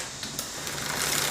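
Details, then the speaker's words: Mountain bike rear derailleur during limit screw adjustment, chain on smallest cog: fast light ticking from the chain while spinning; one more quarter turn of the limit screw needed. "Alright, so now I'm hearing just a little bit of clicking, so one more quarter turn should do it."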